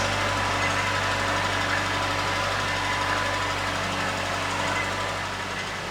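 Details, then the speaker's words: Late-90s Ford Escort 1.6 16V fuel-injected petrol, long parked, cold idle; smooth, even idle with a steady low note and no misses or knocks, running nicely. "it was just a pistol shot when you started, and it's just running so nicely. It's the magic of the late 90s injection cars."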